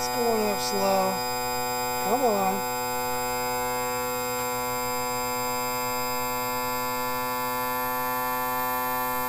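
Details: 2000 Yamaha 60hp outboard tilt/trim on homemade switch with poor battery cable, before ATF+4 added; steady unchanging motor drone with low hum, pump running continuously, seemingly struggling to lift; trim raising slowly, later working after fluid added.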